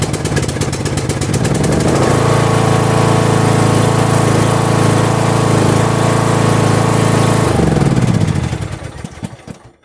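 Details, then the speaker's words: Lawn tractor with a completely dead battery, unused for at least a month, jump-started with a portable jump starter: cranking clatter, then it starts right up and runs with a steady, even beat; normal. "Put the brake in. On. And the thing started right up."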